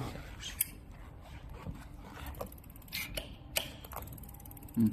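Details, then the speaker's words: Electric bicycle after the disc brake caliper was loosened, centred on the rotor and retightened: the wheel spins with only loose freewheel ratchet clicks and no scraping, no brake rotor rub. "要刹车器要居中这个刹车盘，两边不碰到。你看，然后我们两边都没碰到，然后就扭紧它就行了"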